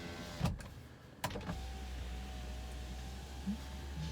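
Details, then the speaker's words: BMW E30 325e (economy) automatic, 1980s: rear power window tested after driver's side, a couple of clicks then low even motor hum, no grinding or stalling; window motor working normally. "back one works let's go all the way down"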